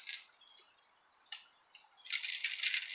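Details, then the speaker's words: Cyclamatic CX2 folding electric bike wheel with broken spokes, being turned during tire removal: light metallic clicks and tinkling, then a long shaking rattle; loose spoke nipples trapped inside the double-wall rim, pointing to spokes loosening. "that is a couple of spoke nipples that are just hanging out in there they're um in between the double wall of"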